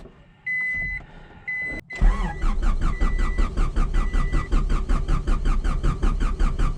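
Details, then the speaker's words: 1995 Honda Civic Del Sol with an H22A4 swap, P28 chipped ECU, and a freshly reassembled engine: chime, then brisk, even cranking from the new starter at about 2.5 turns a second that catches and runs; normal cranking and start. "Hear that new starter, baby? Like a charm."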